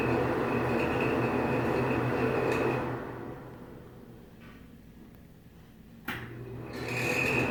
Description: ANOTHER SQUEAKY FAN! Older Nutone exhaust fan at a Japanese restaurant. This fan is ANNOYING OBNOXIOUS! SQUEAKY. DIRTY AS WELL!